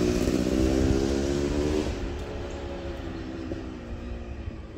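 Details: Yamaha YZ250 two-stroke (270cc/250cc) motocross bike on break-in street ride after full engine rebuild (bottom end, transmission, bearings, clutch, power valve): crisp revving up through gears then easing off, clean even note, no clunks or rattles; healthy.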